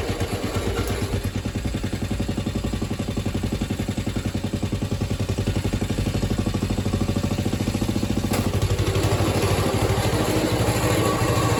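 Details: Atco Suffolk mower small single-cylinder engine, with the clutch working after the wear plate adjustment. Steady, even chuffing that holds speed with a slight lift near the end; it runs normally.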